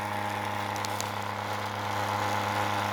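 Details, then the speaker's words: Spinning 3D-printed rotor: steady low buzzing hum coming from the ceramic base, which stops when the rotor is lifted off; the rotor itself spins true, and the base likely needs tightening. "so it has to be something to do with this ceramic base because as soon as i lift it off of it it stops"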